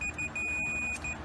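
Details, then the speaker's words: Continuity meter demonstration of a direct short across the battery leads in an FPV Hellbender quadcopter build; steady high-pitched continuous beep indicating a direct short in the power wiring. "If you build the entire quad, then do a prostate check, and you do get a direct short, meaning it sounds like this."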